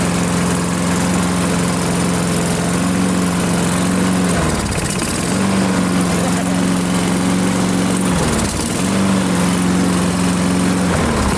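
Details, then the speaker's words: AL-KO Silver 52B self-propelled mower with a Briggs & Stratton 675 series engine, running at half throttle without its air cleaner before an oil change: steady, even hum with a couple of brief speed dips. Normal running. "Yeah, it sounds like it's running just fine."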